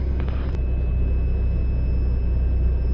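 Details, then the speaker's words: 90 Series Toyota Prado after fitting a DIY 155 L long-range main tank (214 L total with sub tank), idling on the main tank: smooth, even low rumble with no misses, knocks or ticking; normal idle. "oh my God that's running oh my God it's running on Main because the fuel the lights off"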